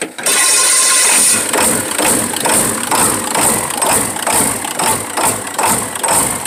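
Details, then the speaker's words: 1996 Ford F-350 7.3L Powerstroke diesel with new cam sensor: rough idle hunting about twice a second, hard surging; owner suspects injector O-rings one side, oil from exhaust pipe, no blow-by. "so it surges pretty hard I gotta figure out what that is but I think I know what it is so I think I got injector rings going out one side cuz I got a little oil coming out of the exhaust pipe"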